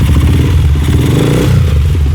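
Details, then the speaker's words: Homemade bicycle with a 2001–2002 CG motorcycle engine, wired with spare computer-PSU wires, CDI and coil, started to test the lights and rev: loud single-cylinder putter running evenly, picking up on throttle without stumbling. Normal running. "Vamos ligar pra nós testar os farol e dar uma acelerada também, né? Vamos lá. Agora foi. Ligou? Ligou."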